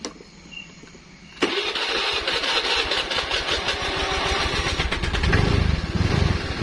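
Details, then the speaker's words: Honda Vario scooter that only clicked on starter despite new battery, after fixing starter relay wiring (red wire to starter, yellow wire): engine catches at once with no clicking and settles into quick, even idle; normal start. "jadi Sudah langsung bisa bunyinya seperti itu ya temen-temen Jadi kalau Hai sudah langsung adjust tidak pakai cek lagi langsung satu kali takar sudah langsung nyangkut"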